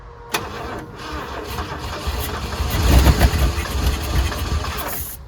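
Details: 1979 Ford F100 302 V8 sitting ten years, brake cleaner sprayed into carburetor: starter cranks, engine catches and fires roughly a couple of seconds, then dies; suspected fuel starvation, auxiliary tank next.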